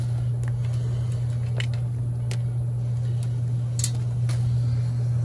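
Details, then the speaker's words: Attic air handler restarting after a new float switch was wired in series with the existing one, which had earlier stuck open: refrigerant flow heard, then blower motor runs with a steady, even low hum, no knocks or squeals; normal running. "now as soon as i let go of this the system will come back online i've let go i hear the refrigerant flowing and there's the blower motor"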